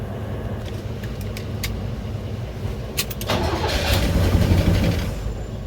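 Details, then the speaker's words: V8 (352) engine after a distributor change and firing-order correction, primed and cranked: steady cranking at about three beats a second, then it briefly catches and roars before fading; hard start that won't keep running, cause suspected, not confirmed. "Let me prime this thing up all the way good. Let me see. I'm gonna try it one more time for y'all. If it don't, I'm gonna pry it up and get it crunk continuously idle right, and then we'll come back."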